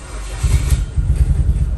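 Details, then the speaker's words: Car sitting unused a long time in cold Georgia weather, after repeated start attempts: low uneven chugging pulses as the starter turns it, a few cylinders nearly firing but not catching; cranking, almost starting. "oh here we go that's a good sign that's a good sign"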